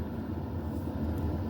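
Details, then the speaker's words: HCalory 8KW diesel air heater in an RV at core temperature, stepped down to low (level 2), sipping fuel: soft even low rumble, no surging or knocking; normal low-power run. "reached its core temperature, and just now it's going to run like this. It's going to sip the fuel. It'll run like this for almost 2 days on low, and it keeps the RV really, really nice and toasty."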